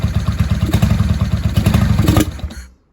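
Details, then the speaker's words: 1995 Honda Shadow VLX VT600CD V-twin, not run in years, air filter off and baffles drilled out: loud chuffing idle that stumbles when blipped and dies in seconds; bogs, won't rev, owner suspects the missing air filter. "Nope, she's not ready. Probably has to do with having the air filter off and everything. She hasn't run in years."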